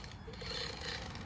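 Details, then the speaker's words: Traxxas LaTrax Rally RC car, new, on first test run: constant gritty scraping over the motor whir, no clean rhythm; a small stone lodged underneath in the drivetrain. "think we got something stuck underneath it don't uh not sure if you can see it down in there we got a little tiny rock stuck in there"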